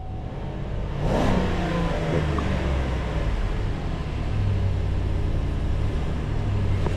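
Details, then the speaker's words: 2020 Chevy Silverado that died while driving and became a no-crank. Now it starts with a quick rev blip, then settles to a smooth, steady V8 idle with no misses, knocks or rattles. Sounds healthy; the fuse box is suspected as the fault. "Yeah, it starts, it sounds totally healthy."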